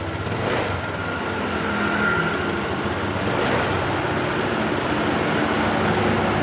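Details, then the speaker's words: Honda Beat LED Deluxe scooter, fuel-injected, after clearing code 7 DTC (EOT sensor socket suspected loose): even, low steady idle without stumbles or misses, street noise behind; engine now idling normally. "Oke, sudah normal."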